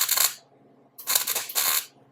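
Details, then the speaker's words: MIG welding a VW headlight into a thin sheet-metal fender with the welder set very low: steady frying crackle in short bursts with gaps; it pops while cold, then lays a good bead without burning through once warm. "I'm just doing kind of a dance trying to get it red hot trying to get that weld in there move off you're not burning through at all control the heat all right pretty nice looking bead right there"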